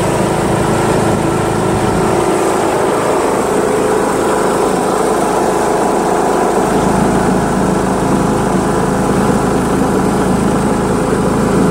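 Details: John Deere L100 lawn tractor with Briggs 1742 engine, on a ride around the block with the mower deck installed after the PTO cable was loosened. A steady single-cylinder drone at one speed, with no knocks or misses. It runs great, starts easily and barely vibrates.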